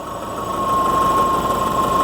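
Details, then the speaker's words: Subaru Forester after new coils, plugs and wires, with a history of rough running; owner says fuel pressure is fine, suspects no vacuum leak; chirping from the throw-out bearing: idle sags briefly then recovers; idle speed fluctuation, cause not found. "Aside from a little bit of fluctuation in idle speed, you can kind of hear it."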